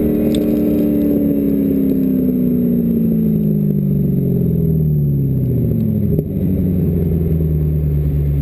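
Engine revs and then drops, with a lumpy, uneven note through the run; it sounds like a misfire, cause not clear.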